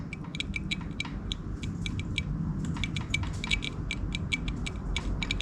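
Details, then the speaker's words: Vintage Yamaha enduro being restored, ignition on, in neutral, horn button pressed: faint irregular high scratchy ticks instead of a steady tone, so the horn gets power but needs fixing. "that's the horn when I push the horn button so we could probably fix the horn but that's a sign that we are getting power to it"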